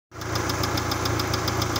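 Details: Engine at idle with fast even metallic ticking over the hum; unidentified foreign engine knock, source unclear and unconfirmed.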